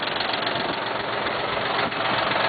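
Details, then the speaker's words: Cub Cadet diesel tractor, 540 PTO engaged at 2,000 RPM: harsh raspy grinding as it kicks in, then no spin; owner suspects a sheared keyway or dowel letting the gear spin on its shaft inside the transmission. Grinding on PTO engagement. "540 PTO, it works good. Okay, you can disengage it. Engage at 2,000 RPM. You hear it grind, kick in."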